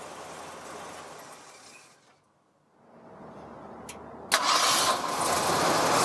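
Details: 1952 Ford pickup with Ford 351 Cleveland V8, automatic with floor shifter, raised motor mounts, new fuel pump, driven maybe 40 miles: quiet, then catches sharply and settles into a strong even run; normal healthy engine start.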